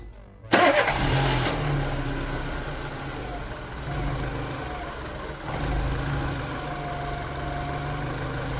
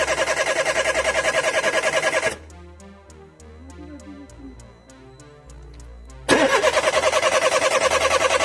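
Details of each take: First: Peugeot 206 1.4 petrol that had no spark or fuel, fixed by bridging a faulty BSM module: short crank, engine catches and settles into a steady, even idle with no misses; starts and runs properly. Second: Peugeot 206 1.4 petrol: starter churns evenly about three to four turns a second in two bursts, never fires; no spark, fuel pump silent, ignition coil and injector faults logged; cause was failed BSM module, replaced.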